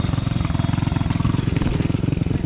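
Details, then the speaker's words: Honda CT70 after engine swap, being tuned: small single chugs fast and unevenly with lumpy, stumbling pulses; owner suspects fuel mixture, thinks bigger carburetor jets needed. "We've been trying to get her tuned in. I think we might need bigger jets."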